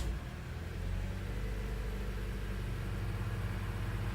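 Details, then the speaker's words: 2007 Toyota Corolla ZRE152R after alternator and drive belt replacement, with two-year-old fuel: low, smooth engine hum holding steady, no belt squeal, knock or misfire; normal running. "that report went out actually runs quite well for car that's got two year old fuel in it hasn't been driven more than"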